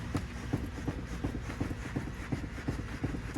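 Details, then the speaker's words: BMW F22/F3x electric power steering rack, wheel turned: dull, regular clunks close to three a second; worn rack thrust bushing knocking, worse when steering is stiffer. "that's the issue that i'm having like i said it's more prominent for sure when the vehicle is off and the steering is a little bit stiffer"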